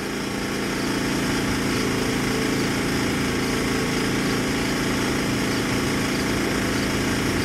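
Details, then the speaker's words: Sportsman GEN3500I 3500 W inverter generator, 149 cc OHV gas engine, new and breaking in, measured from distance: 63-64 dB, as low as 56 dB farther back in wind; steady even quiet hum, no misses; normal running. "Let's step back. And I can barely hear the unit right now, and I'm barely above a whisper, but let's take the measurement. We're at as low as 56, and that's with the wind blowing right now. So very, very quiet generator."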